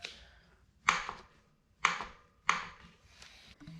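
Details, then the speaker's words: RockShox Recon RL air fork on a 2019 Specialized Fuse ridden about a month: three sharp, dry clicks each time the fork is pushed down; clicking-popping noise on compression traced to the air cap area. "and here's the noise it's literally just as soon as i push down on the fork it happens"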